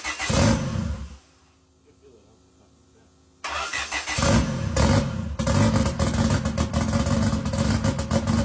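Engine fires, catches, then revs with an uneven, stumbling beat and no steady rhythm; it sounds rough, possibly a misfire.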